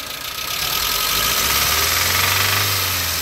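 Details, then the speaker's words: Nissan Sunny E-series engine revved during a plug-lead cylinder-drop test with number one lead off; light metallic rattle about four per second persists, so cylinder one is not the source; engine rattle under revving. "yeah so the rattle still there number one's back on"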